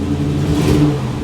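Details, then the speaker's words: '62 Cadillac V8 rebuilt about 13–14 years ago: deep, smooth rev rising and falling cleanly with no knocks or rattles; healthy engine, while the Jetaway transmission won't shift. "you know we probably got this motor done at least let's see 27 13 14 years ago and it still sounds like the day me and my dad started it up for the first"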